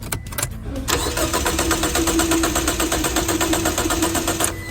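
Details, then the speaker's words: Car that won't start despite throttle valve cleaning, new spark plugs and ignition coils, cleaned fuel lines and fuel pump; steady rapid cranking about three turns a second for several seconds, never firing: cranks but won't start, cause not yet identified. "try again did you see it this car can't start no matter what do you know the reason"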